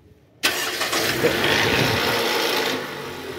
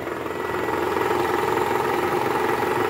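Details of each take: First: 2012 Toyota Camry 2.5 V (2AR-FE), 167,000 km, after worn balancer shaft replacement (engine mount also found cracked). A brief crackle at start-up, normal oil rising after sitting, then a smooth steady idle. Normal cold start. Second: 2012 Toyota Camry 2.5 V, 2AR-FE, 167,000 km, cold start in R or D with AC on: coarse diesel-like clatter at three to four beats a second from the oil pan area; worn balancer shaft, confirmed on teardown and replaced.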